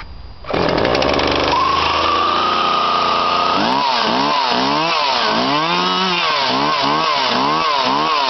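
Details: Husqvarna 137e petrol chainsaw, 2007 model bought 2009, cold start on choke then half choke; the pull-start catches, then a high buzzing run with quick throttle blips rising and falling cleanly. Normal cold start and running.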